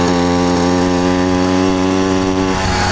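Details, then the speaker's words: Yamaha YD100 two-stroke, two-piece cylinder, PWK21 carburetor with 95 main jet: buzzy note sags and loses pitch, dying under load with no power; owner suspects too lean, considering 98 or 100 jet or needle change. "yeah it's like foggy like it's just dying and it's got nothing so who knows it might be a hundred"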